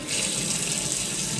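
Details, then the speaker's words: New brushed nickel kitchen mixer tap replacing an old clanging, rattling one: smooth even hiss of running water with no clanging or rattle; flowing quietly as it should. "You won't hear that clanging and rattling noise."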